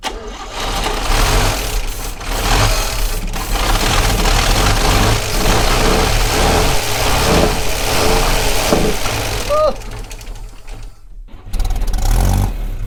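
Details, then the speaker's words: 1960 Chevrolet Step Van, first start in almost a decade on starter fluid after new ignition points: the engine fires and runs unevenly with a loping, stumbling beat and exhaust chuffing from exhaust leaks; rough running. "uh oh oh there's some exhaust leaks that's all right"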